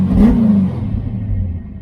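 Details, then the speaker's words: Fox-body car, idling about 900 rpm, owner suspects a cam (possibly an E cam): very responsive quick rev that falls cleanly straight back to a steady idle without hunting; a good-running engine. "this is a really good running engine a really good running engine everything idles right back down like it's supposed to"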